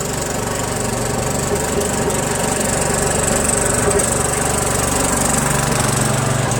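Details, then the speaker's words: Second Troy-Bilt lawn tractor with Briggs Intek engine, original carburetor: roaring with an uneven, wavering, surging beat that never settles; the mixture screw does little, so the carburetor is to be swapped for a Walbro. "so I've been fiddling the fuel mixture screw quite a bit doesn't seem to really do anything you know so I'm just gonna swap it with a walbro"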